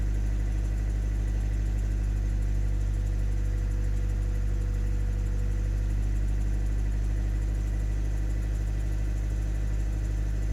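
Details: 2016 Hyundai Tucson 1.7 CRDi diesel idling: faint, fairly quick ticking on low rumble, more audible after revving; revs up to 3000 rpm suddenly drop to 2500 and full throttle does nothing.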